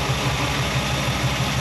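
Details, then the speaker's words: Rebuilt V8 in a Chevy C10 pickup after a valve adjustment for a valvetrain knock, heard through a half valve cover. One valve was possibly too tight and collapsing the hydraulic lifter. It now idles with an even low pulse and no tick or knock. "I think we're good maybe that one was just a little too tight where it was collapsing the the hydraulic lifter and it was putting slack in it"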